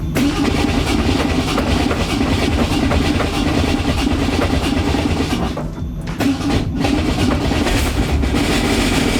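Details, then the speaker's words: 1965 Mustang on a cold start: loud, harsh metallic clatter over a rough idle that gets quieter as the engine warms, though some rattling remains; source not found. "I don't even like being near that thing while it's sounding like that but it goes away when the car warms up somehow I don't understand it but whatever now you can hear it already it's getting quieter still a little bit of rattling"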